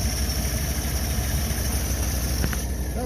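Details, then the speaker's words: Willys just started after sitting, starting fluid sprayed, in neutral: steady low idle with smooth beat, no ticking or knocking, faint carburetor noise that quiets once intake fitted; healthy engine. "really runs nice no loud noises no ticking a little bit of carburetor noise which is now quiet"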